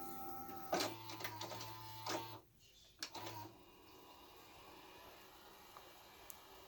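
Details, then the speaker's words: 1984 Toshiba V-600C Betamax VCR loading a sample tape from the start: several clicks, then two short low motor whirs as the tape threads and the mechanism settles quietly; normal tape loading. "well actually hold on let's watch it load from the beginning so I got a little sample tape here can hear it loading the"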